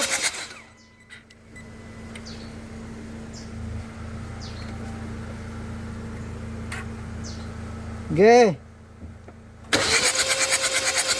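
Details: 2014 Hyundai Santa Fe no-start evaluation: mostly quiet, then the starter cranks at a steady, fast rhythm for over a second without the engine catching; cranks but won't start.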